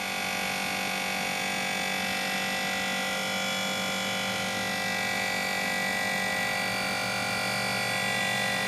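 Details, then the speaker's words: New Everlast Power i MIG 205 welder, switched on for the first time out of the box: a steady whirring hum with a harsh, rapid rattle about four times a second, a cooling fan broken on arrival, replaced under warranty. "However, the 205 was the very first piece of equipment I fired up and wanted to use, and when I clicked, I was so excited when I clicked it on, it made this really rattling, bad sound."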